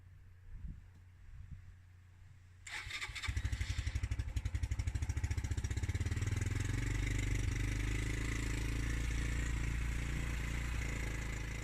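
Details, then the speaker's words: Suzuki GN125 that had not started for over a year, first cold start on fresh fuel, new battery and choke: lumpy, uneven beat that stumbles, sounding like an exhaust blow. Rough running when cold. "ds like a big wet fart. Certainly sounds like it's got an exhaust blow anyway. But at the same time I have to remember that it hasn't started for well over a year."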